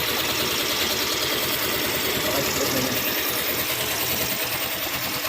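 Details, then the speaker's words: Yamaha Mio i 125 after repair: quiet, fairly even idle with only soft rhythmic background and no ticking; persistent tick remained after cams, rocker arm and cam bearing replacement, cured by cleaning the magnet. "Ayan napakatahimik ngayon ka ng lagupit."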